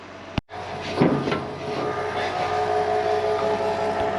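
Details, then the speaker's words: Barn-find Massey Ferguson 300 combine, first start attempt with the battery fitted and 5 gallons of fuel added: after the key clicks on, a faint, steady electric whir as the fuel pump primes before cranking. "I can hear the fuel pump running I hope it's down in fuel I mean we just put 5 gall in it"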